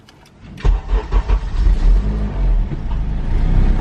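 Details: Honda K20 engine swap, start after ECU and harness cleanup; a few quick cranking pulses, then it catches and settles into a smooth, very quiet low idle with no ticks or knocks; normal start and idle.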